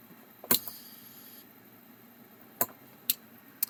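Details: Titan 3532 hard drive: sharp, isolated clicks at uneven intervals over a near-silent background; the abnormal repeated ticking needs further diagnosis.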